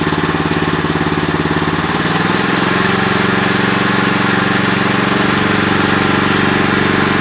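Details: Agros walk-behind tractor (motoblok) single-cylinder engine at a faster run with a steady, sharp knock on every beat, especially audible after 1:00; the owner does not know the cause of the internal engine knock.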